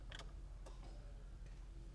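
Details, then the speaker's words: Fiat Tipo Sedicivalvole 16v turbo, key on with the immobiliser active and no cranking: a few faint relay clicks in a quiet background with no pump hum following. The relay clicks but the fuel pump isn't running; power at the pump is still to be tested. "Don't hear anything. >> You have to test for power up this end. Just make sure you get the voltage. Relay's clicking."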